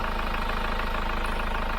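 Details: Hyundai iLoad diesel van with about 39,000 km, after the Liqui Moly intake decarbonising clean. Fully cold start: even, steady diesel clatter at a settled idle with no misses or knocks; normal cold diesel idle.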